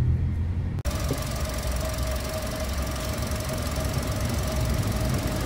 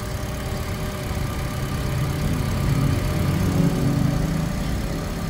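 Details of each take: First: Toyota 1NR-FE engine near 400,000 km, idling before timing chain replacement: busy clattering rattle with steady thin whine above it; timing chain rattle from worn chain and tensioner at high mileage. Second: Toyota 1NR-FE engine with about 370,000-400,000 km, after timing chain work to cure engine noise, start-up: steady low idle with even beat, no chain rattle or tapping heard.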